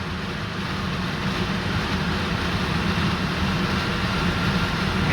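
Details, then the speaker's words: Range Rover L322 with newly fitted replacement blower motor, fan stepped up from speed 2 to max: loud rushing roar with low hum, growing heavier as speed rises; the new fan has lots of wobble. "Oh, it's got loads of wobble on it. Goodness me. That's not great, is it?"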